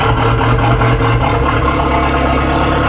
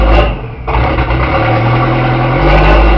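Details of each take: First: 1981 Porsche 931 turbo, just started after the distributor and rotor timing was set: loud, deep, steady idle with even firing and no misses or knocks, loud from a holed exhaust; normal idle. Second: 1981 Porsche 931 turbo, running after the distributor and rotor timing was set: loud, raw rasp much louder than stock that swells and drops with each throttle blip, with turbo audible; exhaust leak from a holed exhaust.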